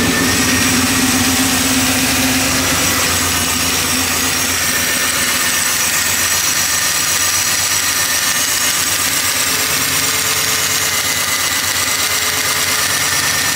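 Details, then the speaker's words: 1973 Impala small block Chevy 406 V8 idling with valve cover off: sharp tick about four a second over a high steady hiss, traced to cylinder 1 exhaust rocker; adjusting hasn't cured it, likely collapsed lifter. "so the noise is coming from this uh cylinder 1 um the cylinder 1 exhaust rocker so this is controls the exhaust valve um so that's the noise"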